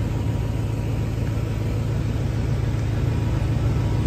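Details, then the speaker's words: Quiet gasoline generator on a 2008 Ford F-350 Versalift bucket truck with 5.4 Triton V8 and 137,000 miles: starts right up and runs with a steady, even low hum, no knocks, misses or surging; normal running. "hear that generator start right up it's a very quiet gasoline generator it starts right up"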